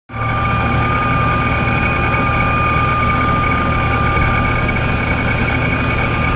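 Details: Vehicle with a Ripp supercharger. A loud, steady high-pitched whine sits over a low engine rumble at low idle and when crawling at low speed, only when in gear. The owner suspects a bad supercharger bearing; not confirmed.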